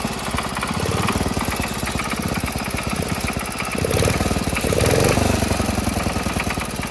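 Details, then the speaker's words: Rebuilt Wheel Horse single-cylinder engine after about an hour of running: loud, hard knock on every beat, caused by a scored crank journal and scratched cylinder bore found on teardown. "that's what I mean right there that you hear that knocking sound it's pretty loud"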